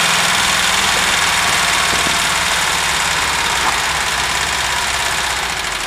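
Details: VW Vanagon T3, strange smoke while the engine is cold: steady idle with a light, fairly even tapping about three per second over the hiss; engine knocking of unknown origin.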